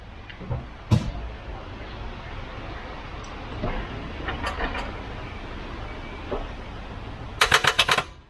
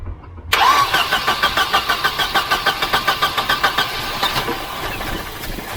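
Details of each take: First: Volvo 244 redblock engine that won't turn over after sitting parked a while. Trying a newly bought jump starter pack, turning the key gives only a quick burst of about six rapid clicks and no cranking. The cause is a bad ground/earth connection. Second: Volvo 244 redblock, previously a no-crank after sitting parked. After electrical and earth checks (the car has had a new starter), the starter cranks in even pulses about three a second, then the engine catches and idles. Start called a success.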